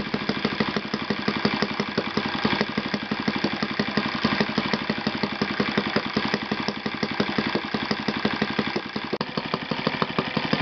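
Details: Yamada (Futaba) YS F 120 four-stroke glow engine on a test stand after a full rebuild (combustion chamber buildup, piston and ring problems), Yamada No. 4 plug: fast even firing held steady throughout, no misses or rattles; normal running.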